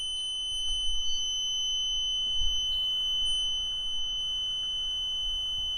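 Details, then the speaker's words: Truck APU start button pressed, control box mounted outside: a steady high-pitched electronic beep over a quiet background before cranking; normal pre-start warning to keep fingers clear. "It does this annoying beep, I guess, to let you know to get your fingers out of the way."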